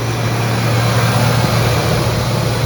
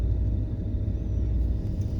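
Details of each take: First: Chevrolet C10 small-block with Holley Sniper fuel injection, idle around 1,700 rpm while rolling down driveway as if on cruise control, slightly lower than before. Fast steady idle well above normal, sagging slightly; high idle attributed to vacuum leaks and throttle plate adjustment. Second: Chevrolet C10 squarebody farm truck, small-block Chevy with Holley Sniper throttle-body fuel injection, after high-idle problem solved; 850 rpm in park. Low, smooth steady rumble without surging or hunting: normal idle.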